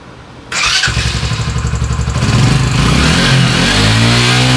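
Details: Italjet Griffon GF125 scooter, carburetor clogged by fuel residue after sitting unused 10 months, after carburetor cleaning and reassembly: fires on first try, picks up into a steady, even run with no misses or stumbles; normal start and run.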